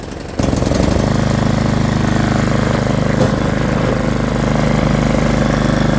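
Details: Snow blower single-cylinder gas engine after cleaning the carburetor bowl and the carbon-clogged jet orifice with carb cleaner. It settles into a steady, even fast putter with no misses or surging; it runs normally.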